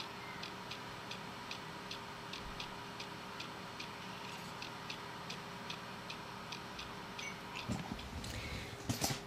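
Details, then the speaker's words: Faulty hard drive on data recovery tools, connected via USB: once recognized, sharp light ticks about twice a second in uneven loping rhythm over a quiet steady whir; rhythmic clicking. "and now when the hard drive has been recognized some annoy noise start"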